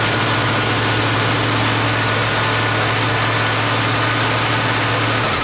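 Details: A car idles smoothly with a steady low hum and no stumble or misfire after fitting a brand-new replacement carburettor, with the electric choke wired to the alternator stator; fuel bowls were primed by cranking with coils disconnected before startup.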